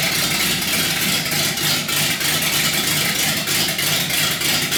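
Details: 318 V8 built for a deliberately rough idle: raised compression with Keith Black 6cc domed pistons and a Comp Cams cam; choppy, loping idle with an uneven lumpy beat; normal intentional lopey cammed idle, not a fault.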